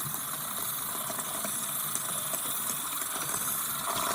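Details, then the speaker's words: Steady hiss with irregular spits from an open bathroom tap as trapped air is pushed out of the hot water line after replacing the house water expansion tank. "So this is all the noises that you hear. Air coming out of hot water."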